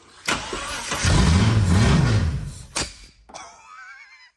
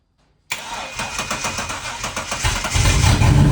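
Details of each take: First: Holden VN Commodore 3.8 engine, started for the first time in seven years on brake cleaner with no fuel tank, using a jump pack; it cranks, catches and revs roughly for a couple of seconds with sharp popping backfires, then stops. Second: BT1 VN Commodore 3.8 V6, first start in 7 years, running on sprayed brake cleaner with no fuel tank and a jump pack on a weak battery: starter churns two seconds, then it catches into a loud rough idle with a small backfire.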